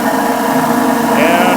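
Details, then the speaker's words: Giant GB3 vibratory tumbler running after working fine, now very loud: steady howling drone with a higher ringing tone on top, heard at the top and much quieter at the bottom; owner very certain the upper bearing is worn. "what that is is the top Berry because we come down here to the bottom and it's awful quiet so much better down here um so I'm very certain it's this upper bearing"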